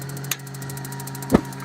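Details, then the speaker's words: Mr. Heater BOSS XW18 portable shower, flame knob turned all the way up: two sharp igniter clicks about a second apart over a low hum, then the burners light; normal igniter. "can hear clicking and then the burners light and I don't know if I can get a video on the burners but the burners are essentially up in there"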